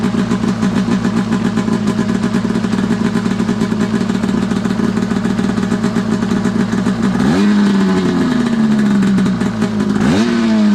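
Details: Arctic Cat F7 two-stroke snowmobile on stand after draining bad fuel and refilling with fresh mixed gas (oil confirmed in fuel), after earlier bogging and dying: crisp even idle with two quick clean throttle blips rising and falling freely; healthy.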